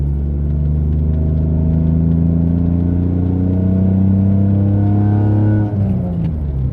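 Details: Mitsubishi 3000GT SOHC with gutted catalytic converters, previously falling flat around 4,500-5,000 rpm; windows up. Engine note climbs steadily past 4,000 rpm and pulls cleanly through the upper revs without going flat, then throttle lifts; exhaust flows freely.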